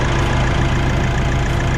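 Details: 2024 Nissan Navara NP300 diesel just after a DIY fuel filter replacement (original filter at about 15,000 km), started on the first crank: loud, steady low rumble with an even beat and no misses or stumbles, a normal healthy idle.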